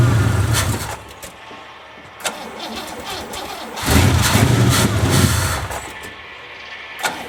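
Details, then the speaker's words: 1963 Oldsmobile 88 on a cold day, whose small tank had run dry: repeated bursts of cranking at about four turns a second catch briefly and die. It won't stay running, and the choke is suspected to be faulty. "for now it doesn't want to stay running figure that out see if it chokes or something choke's kind of messed up"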